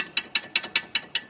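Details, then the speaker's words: Rear suspension link on a 2014 Mercedes-Benz SLK200 (R172) gives sharp metallic clicks, about five a second, when rocked with the rubber supports removed; rattles over rough roads, caused by loosened bolts and nuts. "이 링크 지금 이제 제가 고무를 위에 밑에다가 받쳐놓고서 위아래 올렸을 때 유격이 없었는데 지금 이제 고문 빼고 나니까 이렇게 소리가 나요."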